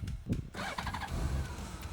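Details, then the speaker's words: Honda Goldwing trike kit, cold start on choke in neutral to warm the oil before an oil change; short crank catches at once into a soft, very quiet even idle with no knocks; normal cold start and idle. "A ten motorik ide normálne úplne tichú linko. To je šalenota. Úplne, že tichučko ide."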